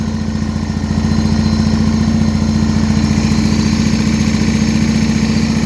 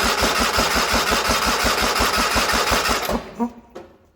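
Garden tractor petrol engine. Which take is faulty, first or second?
second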